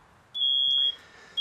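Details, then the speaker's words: Two smoke alarms of different types in a smoke-filled aquarium demonstration: piercing high-pitched beeps in half-second bursts about once a second, both alarms sounding after the air is mixed; smoke detected. "now you can hear both of them going off finally because we mixed up the air a little"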